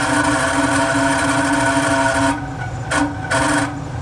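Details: Carrier 800 TS Weather Maker furnace: blower runs with loud rough grinding hum that cuts in and out near the end; blower motor needs replacement.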